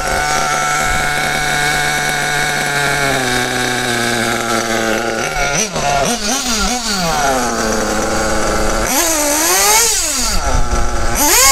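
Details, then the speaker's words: Kyosho RC nitro engine being tuned: high buzzy idle, then after about 5 seconds idling throttle blips sag and hang briefly before climbing, a low-rpm flat spot; low-speed needle too rich, to be leaned out. "Voilà, quand on reste encore 5 6 secondes au ralenti, il y a encore ce petit palier."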